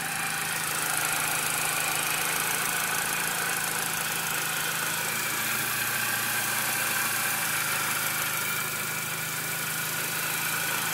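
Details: Steady even hiss over a quiet idle with no rhythm, after the throttle body and BPV were removed, cleaned and refitted; owner suspects a vacuum leak, thinks it is not from the intake, not confirmed.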